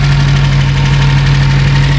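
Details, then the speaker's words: Reliant Supervan after carburettor cleaning and fuel pump pipe correction. A steady, even tick-over at a fairly brisk, constant pitch, meaning the idle is set slightly high. It is adjustable at the carburettor thumb screw. "Tick over's a little bit high. We can adjust that quite easily."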